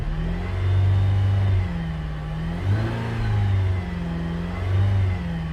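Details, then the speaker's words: 2017 Buick Enclave with water in the fuel tank after a boat launch: engine revs in uneven, stumbling surges with the check engine light flashing, a misfire expected while the fuel rail purges water through the injectors. "starting to miss flashing check engine light indicates a misfire but that's to be expected until it's fuel rail purges"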